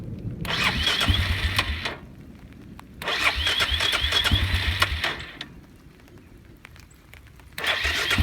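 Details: Suzuki Eiger 400 ATV, hard to start since sitting overnight despite new petcock and coil, rebuilt carburetor, adjusted valves and cleaned tank: starter cranks in three bursts of a couple of seconds, engine never catches; runs well once started.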